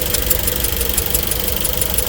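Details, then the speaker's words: Engine run after coolant loss through holes to the reservoir, temperature climbing fast; rapid sharp knock, about six per second, over rough running: internals cooked by overheating, too far gone. "Dead giveaway. It's too late now, buddy. You done cooked your motor."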